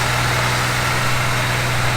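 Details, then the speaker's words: Gilbern Invader Mk3 one-owner barn find, just revived: a steady, even low idle hum with no knocks or misses, and the gauges show good pressures; normal idle. "that is a good engine back there you can tell that is really low mass just with the sound"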